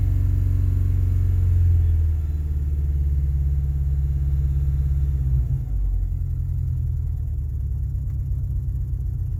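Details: 2000 XLT with 2.5 Lima engine just after start-up: loud low rumble with a lumpy beat under the drone that settles as the idle drops; rough idle on start-up.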